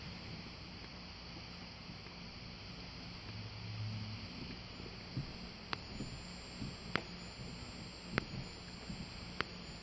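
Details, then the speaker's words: Wheelock WMT-24-FR remote strobe: a thin, very high steady whine dips with a sharp pop at each flash, roughly every second; this is normal strobe charging sound. "it's probably good the capacitor in there that's doing that but the strobe is supposed to make that noise"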